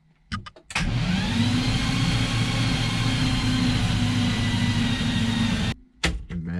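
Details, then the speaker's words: BMW E30 with turbo M52 swap, spark plugs and coil packs removed, cranked about 40 seconds to prime oil until oil flows from the turbo oil feed: steady, even starter whir about four turns a second, no firing. "so there you go oil is coming out after like 40 uncomfortable seconds of cranking now i can put that on put the spark plugs in put the coil pack on"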